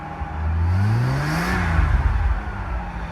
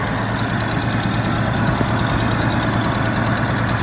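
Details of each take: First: R31 Nissan Skyline wagon, first start after a home turbo install, with a bad exhaust leak. Engine blip brings a rising turbo whir that climbs with revs and fades, turbo spooling as it should. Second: Nissan Skyline R31 wagon with newly installed turbo, first start after install: steady idle with a hissing, puffing rasp from a bad exhaust leak that seems to come from down low near the downpipe joint.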